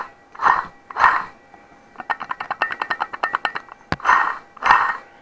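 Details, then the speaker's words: 2004 Pontiac Grand Prix old water pump, seal failed, spun by hand with belt removed; rapid gritty clicking rattle fading as it slows; water pump bearing failure, pump dead. "pretty much signs the pumps dead one way to find out is a take your belt off of here and just spin it and if you hear it side your pumps going bad"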